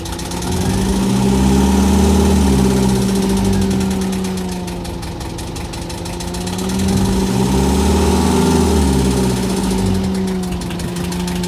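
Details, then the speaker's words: Boat diesel idling after the fuel line air leak was fixed and the system purged through the return line: even idle about four beats a second, gently swelling and settling without missing or stumbling; ran over 20 minutes without a hiccup. "okay so it ran for over 20 minutes without a hiccup of any type i'm very happy about that"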